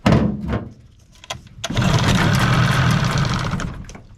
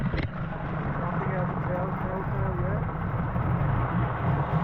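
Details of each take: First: 15 hp Mariner outboard, unused for over two years, on fresh fuel with starting spray and water supply: dull clunks, then catches and runs rough about two seconds before dying; carburetor to be cleaned, choke stuck. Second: 15 hp Mariner outboard, unused for two years, after carburetor cleaning and reinstall, warming up: steady low two-stroke idle with smooth even burble and no misses, telltale flowing; normal idle, though it dislikes being in gear yet.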